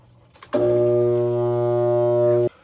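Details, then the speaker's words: Trane furnace blower motor, replaced once before in 2017, gives a loud steady electrical hum with no spin-up when cycled on. It is hot with an electrical burning smell; the run capacitor tests within spec, so the seized motor is dead and is replaced with an OEM motor. "all right so yeah the motor is definitely dead"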